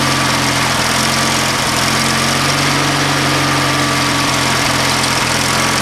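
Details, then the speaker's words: Used lawnmower engine fitted to an old Ariens walk-behind mower, first start from battery at about half throttle with full choke: it pops and a steady single-cylinder drone holds an even pitch with no misses or knocks, running normally. "Oh, we got a pop. It ran good. That sounded really good."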